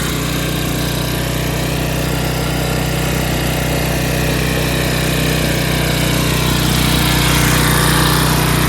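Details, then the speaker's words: 11 hp Briggs & Stratton flathead swapped into a riding hauler, magneto kill bypassed; fast, hard, buzzy speed that never settles, revving too high; governor out of adjustment. "I don't know that engine's a little I it's not very reliable sounding you know and Reps really high but I don't want to mess with it anymore"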